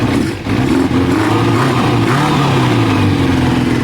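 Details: Kawasaki ZL600 motorcycle after fitting a new battery and cone air filters, freshly started and not yet warm: clean throttle blips rising and settling smoothly back to an even idle, no rattles, knocks or misfires.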